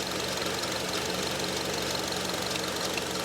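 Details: 2005 Honda Element that stalls when cold, tested at idle with scope on cylinders 3 and 4: idle stumbles with about three irregular dips a second; misfire at idle, cylinder 4 suspected rich, possibly an overfueling injector, not confirmed.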